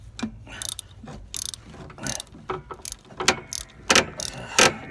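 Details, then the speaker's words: Bus air brake, 7/16 bolt on the slack adjuster turned to back the pads off the drum before air chamber replacement: uneven bursts of sharp metallic ratchet clicks, about ninety a minute; normal slack adjuster ratcheting. "sound, that's okay. It's supposed to make that sound. Don't worry about it."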